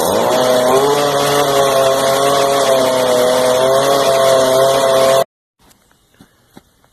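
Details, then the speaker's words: Stihl FS55RC trimmer running at a steady, high-pitched buzz that never drops to a low idle. Backing out the carburetor high and idle screws made no difference, but pressing the throttle cable lowered the idle; high idle from a throttle cable with too little slack. "so I tried backing the high screw out and it made no difference still high RPM and I back the idling screw out down here still the same problem so I took the tip of my screwdriver and pushed down on the throttle itself the cable and the idle went down so it's telling me that the throttle cable needs adjusted"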